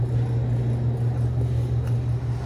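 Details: ATOSA two-door reach-in refrigerator that was wrongly fed 240 volts through a three-prong cord: steady low compressor hum with even evaporator fan whir; compressor and fans running, refrigerant charge unknown.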